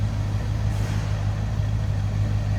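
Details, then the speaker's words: 1979 Lincoln Continental Mark V, 400 V8, heard at the tailpipe; steady, low, even rumble, no misses or ticks, not smoking; normal idle. "i'll slip around to the back of this that door closes i slipped out of the back to hear it run not smoking"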